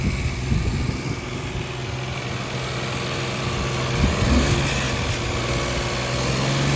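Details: Opel Corsa 1.0 turbo B10XFT three-cylinder petrol idling: uneven beat with light tapping over low rumble; compression 100 psi on two cylinders, 200 on third, hard or no start, runs poorly, no fault codes after P0192 fixed.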